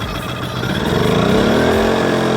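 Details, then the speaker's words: Brand-new Kings 2kVA generator started for the very first time: catches on the first pull and settles into an even, rising hum with no misses, fairly quiet. Normal start. "no no first go first pull that's freaking unbelievable it's not that loud"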